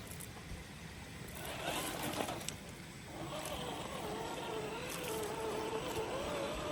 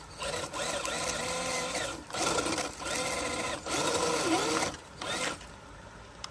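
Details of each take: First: FMS FCX10 1/10 K5 Blazer RC crawler on the trail: soft motor whine rising and falling with throttle over running water, no grinding or clicking; drivetrain runs smooth and very quiet. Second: FMS FCX10 1/10 K5 Blazer RC crawler stuck in a bad spot on a climb: bursts of thin electric whine sagging in pitch as it bogs; the slipper clutch whines, slipping under load.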